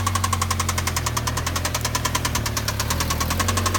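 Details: Mazda Miata at idle with rod knock: sharp, regular metallic knocking in time with the engine, loud and deep in the block; teardown found an entire rod bearing had disappeared.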